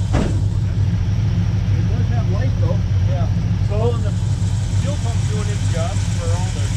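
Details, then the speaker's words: 1976 Ford F250 brought back after being seized, plugs soaked in penetrating oil: engine firing with a steady low rumble but not settling into a clean run; it is getting fuel, possible dead spot, cause not confirmed. "however you can hear it does have life so we should have something going on here"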